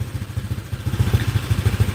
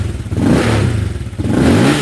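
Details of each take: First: Honda Click 125 LED with PCX150 crankshaft and cylinder and 60 mm piston at stock stroke, runs on gasohol or E85: quick, even low thumps rising with throttle, described as a tighter sound. No knock; it is running healthy. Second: Honda Click 125 LED with PCX150 crankshaft and cylinder and 60 mm piston at stock stroke, on E85 after sitting long: two uneven revving blips with a slight stumble. It is a cold-morning hesitation that needs warm-up.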